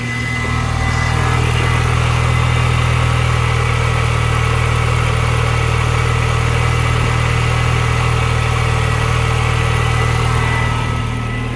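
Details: R53 Mini Cooper S first start after reinstalling new power steering lines, steering now assisted, no leaks: steady, even idle with smooth regular low beat, no whine or groan from the steering pump; healthy.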